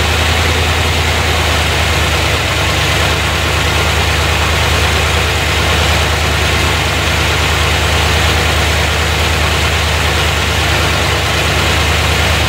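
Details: 1990 Corvette C4 V8 first start after head gasket repair, reworked heads, new gaskets, valves adjusted, new fuel pump; timing not yet set, heavy smoke: loud steady idle, even low rumble, no misses, all cylinders firing; normal idle.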